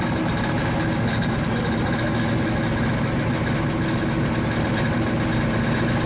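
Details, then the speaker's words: 1935 Chevy Master with newly installed 409 stroker V8 at first start-up on jack stands: steady, deep, even idle rumble with no knocks, misses or surges; oil pressure and temperature good, so the idle is normal. "sure sounds good sounds like it's got a cam in it buddy"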